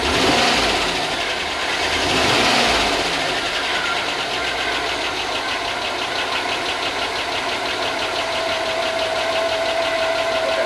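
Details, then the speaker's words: 2005 Chevy Tahoe 5.3 LS, first run in a long time after fixing grounds behind a no-spark problem: steady idle with light, quick ticking about three per second; owner thinks lifters not yet pumped up and will recheck oil. "okay yeah it's uh it's it's ticking like I just sent you video it's ticking I think I think it's just lifters though"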